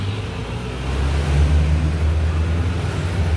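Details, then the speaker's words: Yamaha Nmax scooter, 79,000 on the odometer, no engine warning light, arriving loud: low drone with loud, uneven mechanical drumming; top and bottom end both worn, before rebuild with 60 mm oversize piston. "รถไม่มีไฟเครื่องโชว์นะครับแต่เสียงดังประมาณนี้เลยก็รถคันนี้นะครับตอนมาเครื่องดังนะครับ"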